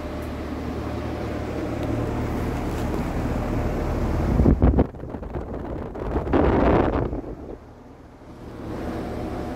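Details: Vintage Sears Homart belt-drive window fan, 1/6 HP Craftsman motor, belt likely needing replacement, on high: steady airy rush with low even hum from blades and belt, no scraping or knocking; runs smoothly.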